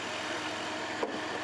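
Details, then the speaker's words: Van idling after a jump start from a badly drained battery with a Cen-Tech 750 peak amp jump starter, clamps being disconnected; even, steady running, one light click near the end; normal idle. "Okay, so the van is running, that's a good thing."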